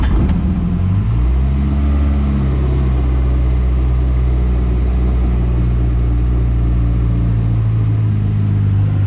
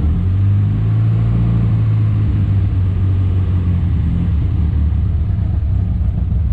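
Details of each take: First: Morris Minor four-cylinder idling on brake cleaner poured into the float bowl (float bowl rusty, fuelling problem suspected), choke applied: steady, even low rumble, smooth unbroken beat, no misses or knocks; runs really smooth. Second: Morris Minor budget build, just restarted after sitting a while: ran smoothly on brake cleaner but rough once on its own fuel; low, lumpy, uneven idle, owner says definitely a fueling problem; rough running.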